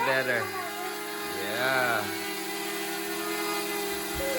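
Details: DJI Mavic Mini flying after its propeller dust covers were removed; it had been ESC-beeping before. Even high motor hum holds steady, pitch easing slightly with throttle, and no beeping. Motors sound healthy in a normal hover.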